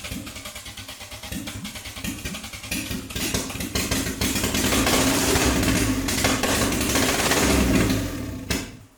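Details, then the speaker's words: MK2 VW Golf GTI rebuilt engine, first start after 10 years, cranked with van running as battery support: steady cranking chug turns into ragged firing building for a few seconds then dying, won't idle; owner suspects distributor/cap timing; oil pressure light flashing. "I know that ain't a lot, but it fired. Yes, this is the furthest we've got so far."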